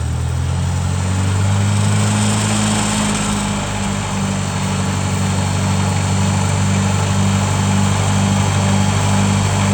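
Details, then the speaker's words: Tractor running a homemade PTO-driven sprayer pump in cold weather, regulator backed out at about 25 PSI: steady even drone with slight speed rise and fall as throttle moves; pressure fluctuates a little with RPM, running normally. "All right, fire up the PTO. Fires right up, and now we're gonna watch that gauge there."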